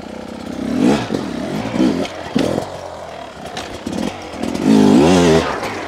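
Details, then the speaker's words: 2023 Beta 250 RR two-stroke riding: crackles and pulls cleanly through repeated throttle blips without bogging or spitting; consistent smooth delivery and low-end control, sounds well jetted. "you can hear even when I input power it has a very consistent smooth [Applause] delivery low control something about these bikes"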